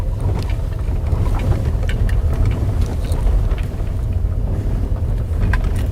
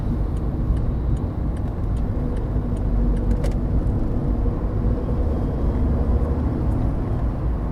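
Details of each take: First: VW Polo Sedan driven on a rough stone road, knocks since about 10,000 km: irregular sharp rubbery-plastic clacks over heavy road rumble; owner suspects the automatic gearbox mount, not confirmed. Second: VW Polo Sedan that knocks over bumps, on smooth new asphalt: only a steady low road rumble with no knocks or rattles from the front end. The suspension and steering rack are quiet, and the owner suspects the rack rattles on rough roads.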